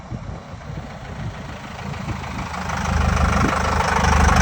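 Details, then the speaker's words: 1984 Chevy K5 Blazer (ex-CUCV) with Cummins 4BT diesel, just fitted with compound turbos, after first test drive: steady diesel clatter with even rumble, no irregular knocks; running clean and healthy. "So we just got back from the first test drive, and it's running pretty dang good."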